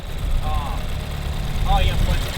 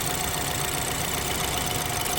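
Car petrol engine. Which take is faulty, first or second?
second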